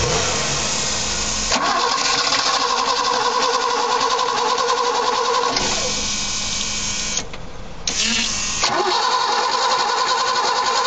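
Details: BMW E21 petrol engine running for the first time after 15 years: rough running with a steady knock about three to four beats a second, cause unknown.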